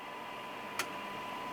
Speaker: may hear it so we get a signal and see here it a little bit on our screen here but it is still very very noisy and that with - 37 DBM